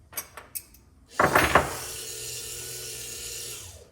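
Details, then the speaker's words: Power antenna motor from 1965-66 Thunderbird / 1961-64 Cadillac, bench-run during reassembly: short clunk, then smooth even whir fading cleanly; clicking signals the clutch slipping at end of travel so the motor runs without pulling the antenna further. Normal. "And that tells you when it's done, when you hear that clicking. And so that clutches it out. That allows the motor to keep running, but not to pull the antenna down anymore, so it doesn't break it."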